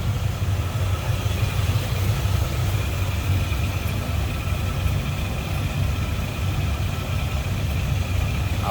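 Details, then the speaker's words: 1941 Cadillac Series 62 coupe, V8 with downdraft carb, heard at the open engine bay: soft, even idle with a low, steady burble and no tapping or stumble; running healthy. "Downdraft carb. Listen to it purr."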